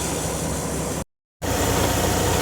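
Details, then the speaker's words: Freightliner DD15 diesel semi idling after a cold start at about -10°, no fuel gelling: steady, even diesel idle with no misses or surging, smooth low rumble; healthy. "30 minutes later still cranking away so we're good"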